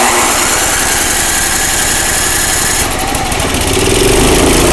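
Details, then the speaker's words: Craftsman 5/24 track snow thrower after carburetor cleaned with carb spray and compressed air and reassembled: small engine runs at steady even speed with crisp regular firing, no misses, surging or hunting; healthy running. "all right guys well that sounds great glad it came back so well i'm not surprised because this one wanted to run just right from the very beginning"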